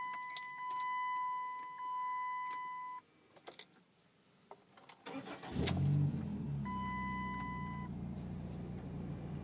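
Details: Stratus with no catalytic converter and check engine light on: door chime pings, short crank, engine catches cleanly and settles into a steady, even idle with no knocks.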